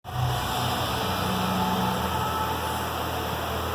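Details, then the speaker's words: Honda motorcycle arrived with a very loud engine noise: loud, rough, uneven low rumble and rattle from the clutch side; clutch disassembly shows play, clutch-side bearing blown, replacement requires full engine teardown. "E aí galera essa moto aqui chegou com um barulho muito forte no motor"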